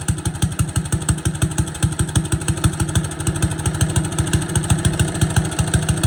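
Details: Boland's 3.5 chipper shredder, unused for at least 20 years, running on its own gas tank without starting fluid, fuel line dripping slightly: small single pops along at an even, fairly quick beat with no misses or surging; runs properly.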